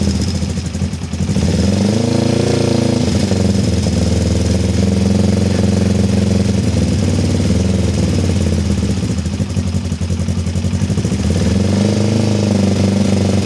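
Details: Kawasaki ER-5 twin, stood 2–3 years and previously dying under full throttle, cold after carburetor repair on a weak 10 V battery: idle unsteady, revs wandering up and down every few seconds without settling. Cause not confirmed.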